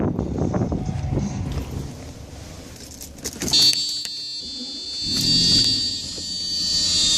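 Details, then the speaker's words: 1995 Mercedes S600 after reinstalling the known-good throttle actuator (E-gas) control unit: engine catches and settles into a smooth, steady idle with no warning light; healthy after swap from the faulty unit. "see no esr light idle is more steady"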